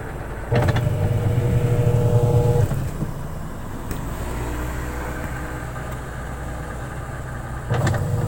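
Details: Samsung wobble-technology 8 kg washing machine after repair of poor drying, with clothes found lodged underneath: steady low motor hum and even drum rumble, no knocking or scraping; running normally.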